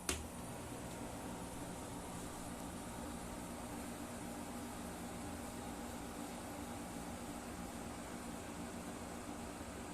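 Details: Springer Midea 12,000 BTU portable air conditioner (MPH-12CRV1) indoors: steady even hum with a soft airy fan rush, no knocks or rattles. Its compressor sits inside the room, so it is louder than the window unit. Normal running.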